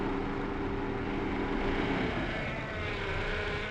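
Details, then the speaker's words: Honda Civic power steering pump makes a low, wavering groan over the idling engine as the steering wheel turns; the system was checked and found to have the wrong fluid, and a flush is planned, with possible pump damage. "Esse barulho que vocês viram, esse rangido, já conferimos, está com o óleo errado."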